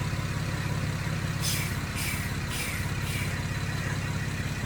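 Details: 2011 car with LLT-to-LFX V6 engine swap, first run: even idle with loud raw puffing beat up front, about two pulses a second; exhaust leak at disconnected manifold pipes.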